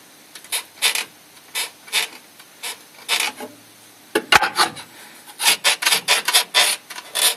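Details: Renault Scenic 2 / Megane 2 (recently imported from Europe, about 130,000 km, nothing yet done to the suspension by the owner): dry rubbery creaks and rasps in bursts as the body is rocked, worn subframe bushings squeaking.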